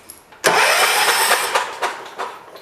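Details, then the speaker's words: 1985 John Deere 212 lawn tractor, sat 6 months with diesel mixed in the gas, carb just cleaned and refitted: cranking with the spark plug removed gives a fast, airy whooshing spin with no compression beats. "You know what would help if you stuck the spark plug back in. I was wondering why it was making that noise."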